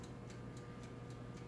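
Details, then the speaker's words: Black+Decker TO3250XSB toaster oven wind-up timer ticking evenly about four times a second over faint mains hum while counting down; normal, and before the end ding. "could kind of hear the ticking that's the sound it makes or you can move it oops let me show you the ding"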